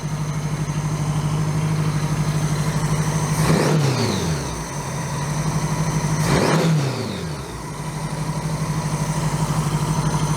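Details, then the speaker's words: 1982 Honda GL1100 Goldwing flat-four after single-carb conversion, warmed up with electric choke open: steady but high idle with two brief dips; idle too fast, idle screw nearly maxed. "Still idling kind of fast. I'm about to run out of idle screw."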